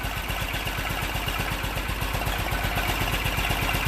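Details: BMW Isetta small single-cylinder after brake and front suspension work, started with a little choke: even putter about four pops a second, steady and unbroken; normal, healthy idle.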